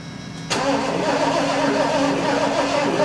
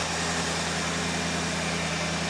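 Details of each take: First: 1974 Lincoln Mark IV parked 36 years, electronic ignition with dual spark boxes, being revived with fuel dribbled in: starter churns steadily about three or four beats a second but never fires; suspected weak spark/low voltage, not confirmed. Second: 1974 Lincoln Mark IV V8 revived after 36 years parked: smooth even idle held slightly high with choke on, no misses, knocks or ticks, charging, running healthy.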